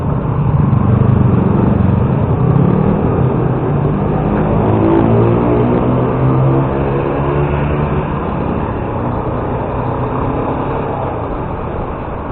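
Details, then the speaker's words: Car that began making noise near the corner on a tow-back trip; loud rumbling with quick clattering about four beats a second, attributed to the drive chain. "Isso é a corrente, ó."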